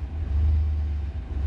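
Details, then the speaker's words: Chevrolet Blazer restarted after sitting 48 hours on a battery about 18 months old, desulfated with a Noco Genius 5; start doesn't sound great nor terrible, engine catches and settles into a low, slightly uneven rumble, running normally. "moment of truth doesn't sound great doesn't sound terrible oh yeah it still starts"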